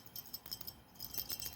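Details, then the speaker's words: Used 100 W incandescent bulb, shaken: light glassy tinkling in quick irregular bursts as something loose rattles inside; no visible hole, cause uncertain. "pas si vous entendez elle fait un bruit bizarre"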